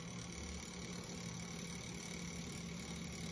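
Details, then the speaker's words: Norelco Continental 101 vintage tape recorder after cleaning, adjustment and a replacement drive part: motor runs with a steady, low, even hum, very little vibration, much quieter; healthy. "very little vibration much quieter"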